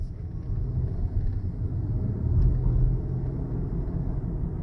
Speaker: Look at that. No more noise.